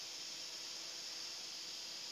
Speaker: Ini yang namanya mampet ini, ya. Yang namanya buntu ini, ya.